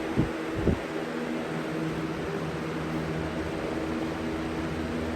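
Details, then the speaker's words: 20-inch Lakewood/Holmes replacement box fan on high, with an open oiled bearing: steady airy rush with a low even hum and no rattle; average shaking, normal running. "it's about average when it comes to shaking it's not terribly bad like alaska"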